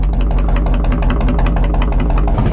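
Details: 1997 Harley-Davidson Road King Police restomod V-twin, cold start, with tune, full exhaust and big air breather: loud, even loping potato beat with steady rhythm, no misfire or rattle; healthy idle.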